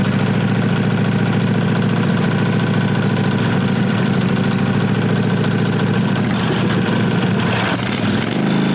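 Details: 1998 Briggs & Stratton Vanguard 16HP horizontal-shaft V-twin (model 303447) after fitting a working fuel pump (which sprays some fuel); even, steady idle with loud open exhaust bark, no misses or knocks. Normal idle.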